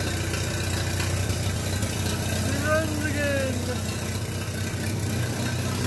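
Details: Minneapolis Moline BF tractor engine after in-frame rebuild for heavy blow-by (suspected ring job), at fast idle: steady even low beat with no knock, miss or puffing; runs sound and healthy.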